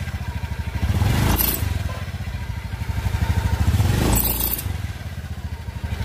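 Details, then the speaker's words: Honda Beat scooter, single cylinder: a sharp, high squeal from the rear of the CVT block on each throttle blip. "seperti di awal video tadi ya kita sudah mendengar suara aneh di bagian blok CVT jadi saat motor digas itu ada suara nyericit di bagian belakang blok CVT"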